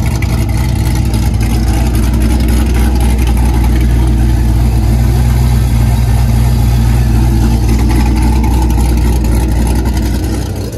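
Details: LS V8-swapped Mustang with exhaust cutouts, warming up: deep, loud V8 rumble with open exhaust, even and smooth with no knocks or misses; healthy engine.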